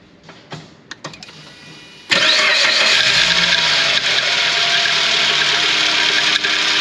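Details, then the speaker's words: 2006 Suzuki Grand Vitara, 2.0 petrol, 230,000 km, on its third timing chain: starts and idles with a fast, steady metallic rattle/scraping that remains with the PK belt removed. A non-original Chinese replacement chain had been fitted. "Podczas pracy silnika jest taki dziwny odgłos takie szuranie Uruchom silnik nie wiem czy to słychać chyba słychać"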